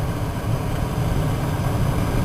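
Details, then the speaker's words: Heater blower motor after a simple rewire and reinstallation in the dash, now back to normal: steady low hum and even whir with no rattle or squeal; normal blower motor running. "I'll turn it on you can hear it obviously you can't probably see it spinning so fast but it's spinning in"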